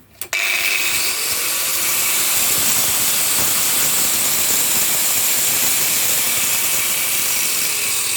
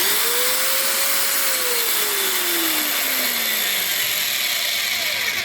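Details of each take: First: Hikoki angle grinder after about two years' use: high-pitched whine with rough rattling growl while running with a disc fitted; owner 99% certain the motor bearings have gone, likely scrap. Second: Hikoki angle grinder after about two years of heavy use: even high-pitched motor whine with steady air rush, no rattle, rumble or grinding; runs normally, though the owner suspects worn bearings.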